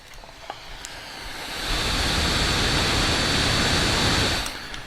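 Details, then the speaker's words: Steam Deck at 15 W with a whiny cooling fan, unmodified, on the stable update: steady airflow rush ramping up with a thin, high-pitched whine. Pressing on the logo or applying electrical tape reduces the whine. "Hello everybody, this is a very large object, and I lost the fan lottery, as many of you may have heard. So, this is what the Steam Deck sounds like."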